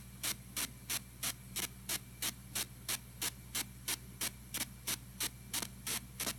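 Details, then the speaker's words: TG-TEK tablet with headphones plugged in while downloading: regular hissy bursts about three a second over a faint steady hum; electrical interference on headphone output. "so basically what I'm gonna do is I'm gonna download this and you'll hear a bunch of like weird hissing noises coming out of the speaker right here"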